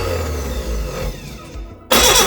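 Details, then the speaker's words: Reliant Regal Supervan 3 engine on the workbench, cranking with uneven pops, then a sharp backfire crack through the carburettor as it almost fires. "you're really trying to go that's all right getting a bit of backfire at this carb"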